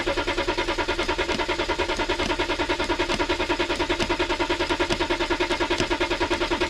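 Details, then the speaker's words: BMW X5 diesel at about 4 °C, steady cranking around three strokes per second without firing; crank no-start, suspected faulty glow plugs/glow plug harness, battery warning light also stays on. "Ah verdict, il démarrera pas. Si, mais non, il faut démarrera pas."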